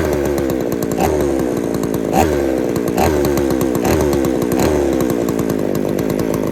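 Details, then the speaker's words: Poulan 3800 two-stroke chainsaw after fixing an air leak at the carburetor boot: repeated throttle blips about once a second, each hesitating and sagging before climbing; slight bog remains, owner may check carb diaphragms. "all all right I think we fixed the air Lake it's got that little bul in it I'm have to work on that"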